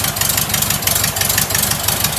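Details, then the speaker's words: Rebuilt air-cooled VW flat-four, once a sidewalk engine: quick, even idle with steady pulses and a crisp exhaust rasp from a noisy muffler; the motor itself is quiet and smooth, with no knocks; normal idle. "Like I said, the muffler's a little noisy, but the motor's nice and quiet."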